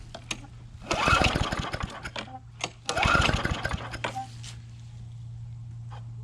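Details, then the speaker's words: Curbside Briggs & Stratton Classic push mower engine (newer plastic-cap version) being revived; after a couple of pulls it catches and settles into a steady, even putter, oil sizzling off the muffler; a real smooth runner. Normal running. "this is a real smooth runner though that's great"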